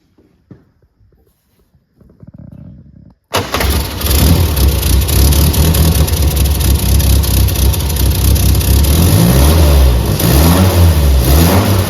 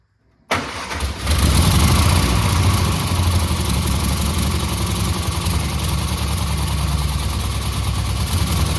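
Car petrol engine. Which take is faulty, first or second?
second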